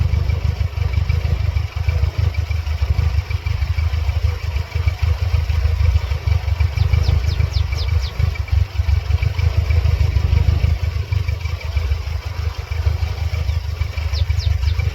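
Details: 1999 Mercedes-Benz C230 Kompressor (W202) with the check engine light flashing periodically: low, uneven idle with irregular thumping pulses and a light clatter on top. Rough-running engine, cause not evident.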